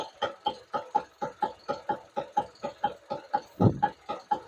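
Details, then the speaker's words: 2020 Ford EcoSport, about 5 years old, parked with the engine running while the steering wheel is rocked: quick even knocks about four a second, felt through the cabin floor, from a worn steering rack; it also clunks on rough roads. "இந்த noise வந்து அப்படின்னா உங்களுக்கு steering பாக்ஸ்ல இருந்துதான் வருது இந்த noise வந்து அப்படின்னு மீனிங்"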